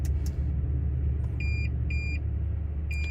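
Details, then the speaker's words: 2016 Toyota Tundra Platinum at idle, below about 45-50°F: high-pitched beep in half-second pulses, front-left park sensor flashing on switch-on; fault only in cold since muddy, wet deer season, owner suspects mud or water in the sensor. "so my front left Park sensor I think has uh an issue it started last uh deer season"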